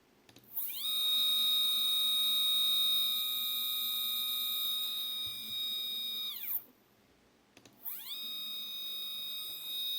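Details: 3D-printer stepper motor, previously on the X/Y axes and unused for about a year, tested alone at speeds of 1000–3000. A clean, high whine climbs in pitch, holds, cuts out and repeats without buzzing or skipping: normal stepper motor run.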